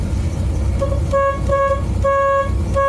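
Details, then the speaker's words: 1987 Chevy Corvette C4 horn after replacing the horn fuse: short toots of a single steady note with no second tone, so one of the pair is dead; horn button ground contacts rusty, cleaning planned. "I'll have to get the other note going, but that's a simple problem."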